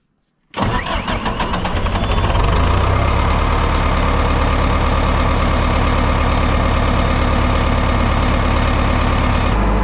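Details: 1988 Caterpillar D4C bulldozer after a new battery and an electrical fix at a corroded connector: brief crank, quick catch, then a smooth, steady diesel idle. Normal start.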